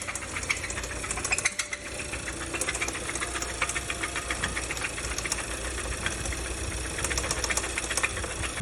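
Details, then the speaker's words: Kia Theta four-cylinder at idle; sharp metallic knocks a few per second riding over the engine: rod bearing failure in 3 of the 4 cylinders, engine replaced under warranty. "Like a lot of Theta Kia engines, this one had rod bearing failure in 3 of the 4 cylinders."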